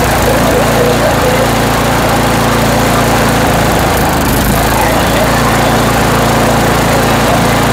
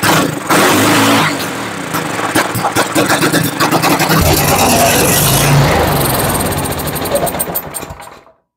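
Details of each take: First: Toro Power Max 828 LE snow blower, 8 hp Tecumseh engine, after replacement with an adjustable Amazon carburetor and main jet tuning: loud, steady full-throttle drone with no hunting or stumbling; running smooth. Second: Toro Power Max 828 LE snow blower, 8 hp Tecumseh engine, sat unused for years: fires and revs roughly for several seconds on fuel put straight into the cylinder, then dies; spark good, fault in fuel delivery or carburetor.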